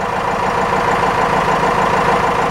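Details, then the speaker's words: 4BT Cummins turbo diesel idling just after an oil change and air filter wash, oil pressure building: steady, even clatter with no knocks or misses. It sounds happier. "shouldn't kill your engine can give it a little bit of throttle or pull up that oil holder she's current sounds happier got"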